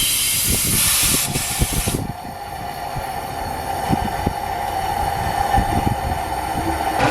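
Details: VW GTI 2.0T no-start with milky oil, leakdown test with compressed air fed through the spark plug hole near TDC: steady air hiss with scattered gurgling pops as coolant bubbles, air pushing past the head gasket into the cooling system.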